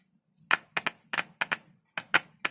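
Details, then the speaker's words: Speaker with torn coil flap tested on two battery cells (about 3 V maximum), no amplifier: sharp crackling clicks with each touch, about eight in under three seconds, loud; voice coil intact, may buzz when played. "अब देखिए, यह कितना शोर कर रहा है। इसका मतलब है कि कॉइल ठीक है। यह सही है।"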